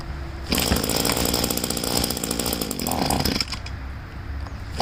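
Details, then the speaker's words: Poulan leaf blower, small two-stroke being winterized with tank drained, primer bulb empty, on choke: catches and buzzes high, then sags and surges unevenly, choke toggled, running out of fuel toward stall. "I'm just going on and off with the choke."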